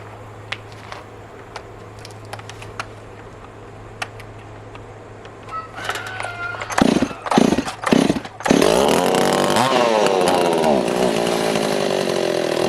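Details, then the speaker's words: Stihl 024AV chainsaw (originally 41cc, short-stroke crank, billet rod, MS260 swap) after more aggressive cylinder porting: catches after a few pulls, revs crisply to a clean, high, steady scream; runs strong, far better than before. "But she is like a daylight to dark difference, guys. If I would have tried to lean on it that hard before, like I done on the duck cut, it would have just died."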